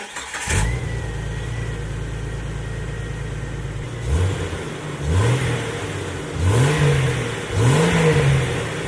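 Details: Jeep Wrangler TJ just after a new tailpipe install, on the ground: deep steady idle and four quick throttle blips that rise and fall cleanly with no rattle or blowing; normal exhaust note. A check engine light then showed.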